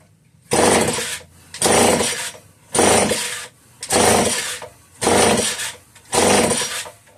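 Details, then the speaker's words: Homelite 150 chainsaw: six recoil pulls about a second apart, engine turns over with good compression and spark, pops briefly but never catches; fuel pouring out the other side points to a bad crankshaft seal causing the no-start. "I think with the way the fuel's pouring out the other side, bad crank seal for sure."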